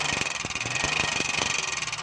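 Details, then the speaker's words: Engine checked with a stethoscope at idle: a sharp, loud metallic ticking, a few ticks a second, heard close on the head; tappet noise from excessive valve clearance. "दोस्तों यह बात हमने check किया इसके पापड़ की आवाज़ ए रही है बहुत तेज आवाज़ है"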